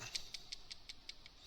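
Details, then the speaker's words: 1985 Dodge Diplomat 318, 39-year-old PCV valve shaken by hand, checked because of oil in the air filter: light, crisp tick about five times a second; the free rattle means the valve is working fine. "which generally means she's good. How old is this thing? 39-year-old PVC valve seems to be operating perfectly fine."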